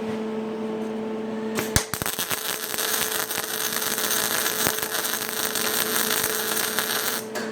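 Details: MIG welder on sheet metal, heat setting 1, wire speed at 60: even, steady crackling hiss after a brief start with no popping or sputter, a well-set arc.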